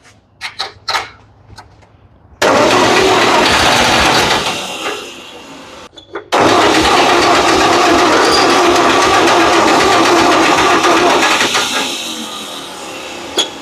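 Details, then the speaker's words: Ford 8N tractor, first start attempt after fitting a new carburetor, fuel leaks present: cranking then rough catch with a sharp pop back through the intake; intake backfire from flooding with too much fuel. "It just backfired. What was that? It backfiring out of the intake. Because we got too much fuel in it."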